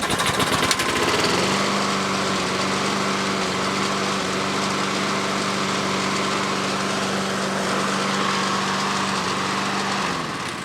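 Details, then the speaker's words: $30 used lawn mower after fitting a new carburetor, air filter and fresh oil: small single-cylinder engine settles into a steady even drone at constant speed, no misses or surging; runs properly. "most important part is this thing runs primed for a good time"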